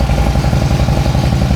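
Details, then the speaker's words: 2008 Harley-Davidson Street Glide, 96-inch, six-speed, warming up after startup, spit-and-sputter complaint: loud loping uneven idle with stumbles and spitting; suspected intake manifold seal leak, later found at front cylinder. "So, this bike's starting to spit and sputter. Customers concerned about it. And so, my first inkling would be to check the intake manifold seals."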